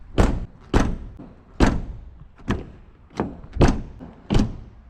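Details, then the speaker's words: Jaguar XF driver door shut repeatedly after a dealership door repair: heavy thunk then loose buzzy rattle; door bolts not installed properly so the door hangs/sags. "that that rattle it should absolutely never sound like that this is what it should sound like very different"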